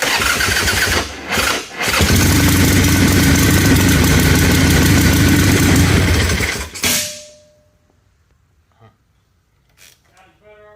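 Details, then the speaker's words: Ironhead Harley-Davidson Sportster with a Keihin butterfly carb refitted after backfiring through the carb: loud, lumpy V-twin running rough; owner suspects timing or valve train; valves needed only slight adjustment; cause was ignition timing. "that don't sound good at all dude I think something's up inside the bike I've got a timing issue or valve Trend I don't know"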